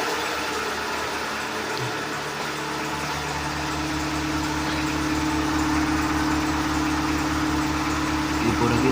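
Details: Seat Ibiza 6L 1.4 petrol with check-engine light and cylinder 4 misfire code, normally running on three cylinders with exhaust bangs; here idling with a steady, even hum, belt audible, no pops or backfires at this moment.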